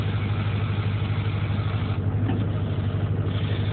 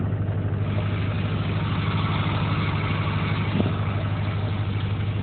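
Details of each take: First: Duramax with ZF6 manual transmission, after a clutch master cylinder modification, pedal pushed by hand to the floor: diesel idle with a steady low rattle as the pedal goes down, meaning the clutch now releases fully; before the mod it didn't rattle. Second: Duramax diesel with ZF6 manual transmission idling after clutch master cylinder modification, clutch pedal pushed by hand about 45 degrees: loose chattering clutch rattle over the low engine drone; before the mod it did not rattle.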